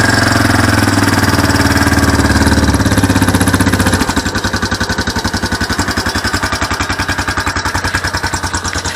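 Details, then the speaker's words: Four-wheeler on its original carburetor, started cold on choke in neutral: even, steady putter settling into a slightly lower, softer beat; normal cold idle, though it is cold natured and may shut off if not choked long enough. "Now, it's cold natured, and it takes a while for it to warm up, but once it warms up, it runs fine. Now we're going to start this bad boy up, choke it, turn it on, neutral. Sounds good."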